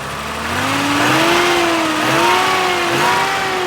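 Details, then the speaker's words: BMW E12 528i with L-Jetronic injection, being revved: a whooshing roar rising and falling with engine speed over an otherwise quiet, non-ticky engine; a stuck-on clutch fan is suspected, and a vacuum leak was also noted. "clutch fan is stuck on it looks like or it sounds like but the engine's really quiet"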